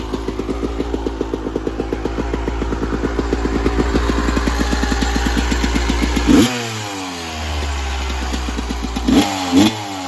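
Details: 1996 Yamaha YZ250 two-stroke, warmed up, pipe too hot to touch, before carb work: crisp rapid popping idle, revs sag and flatten on opening throttle; small blips okay, bogs with more throttle, suspected pilot jet issue.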